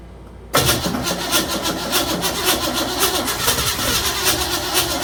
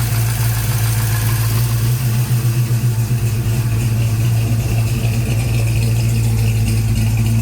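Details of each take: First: 1956 Chevy Bel Air with 307 V8, new Holley 4150 double pumper, first start, previous lifters: steady rhythmic cranking about four turns a second, never catches, sounds diesel-like; timing way off, owner also wonders if valves lashed too tight. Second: 1956 Chevy Bel Air, freshly fired Chevy 307 V8 with a new Holley 4150 and idle brought down: deep, uneven loping idle with a steady rumble, no knocks or misses; some smoke from the breather with no PCV valve fitted yet.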